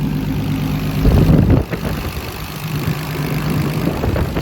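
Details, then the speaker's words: Turbo BMW E46 with an M52B28 swap, mid dyno tuning (last pull 17 psi, 450 wheel hp) before raising the rev limiter and boost: settled low idle with light even ticking and a brief blip. Motor seems healthy, clicking away; normal. "so now we're going to raise the Rev Homer up and add some boost up here to see if we can carry it on other than that everything's checking [Music] out motor seems healthy clicking"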